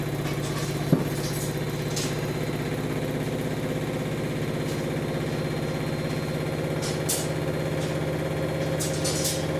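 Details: New Samsung WW10N645RBW washing machine (November 2018), first use after leveling the legs, spin rated 73 dB, about three minutes left: even low drone at one steady pitch with only faint light ticks, no banging or grinding; normal spin.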